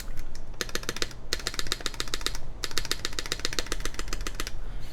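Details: Nuxros Sebas keyboard, full aluminum plate, o-ring mount, GMK NTD caps, Alpaca switches lubed with 205g0, 62g springs, TX films, clipped and lubed Cherry clip-in stabilizers, recorded on a RØDE NT1: quick, crisp, even key clacks with no rattle or ping.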